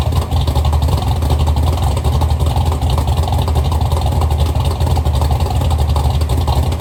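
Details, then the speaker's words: Chevy Nova V8 with rebuilt twin carburetors, heard from towards the back of the car; deep loud lumpy rumble with strong even thump, more compression than the assumed 10:1, no knocks or misfires, running healthy. "this car sounds really good running it sounds it sounds like I was I was assuming this probably was like a 10 to one motor but it she's got some thump to it some compression"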